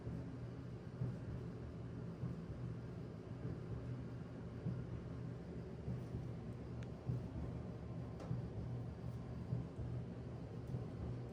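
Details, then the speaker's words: Whirlpool/Maytag Bravos dryer, about 13–14 years old, after clearing lint buildup from the blower housing that caused squealing: low, steady drum rumble with soft thumps about once a second, no squeal; runs quietly and normally. "And once it was fixed, it was nice and quiet as you'll see."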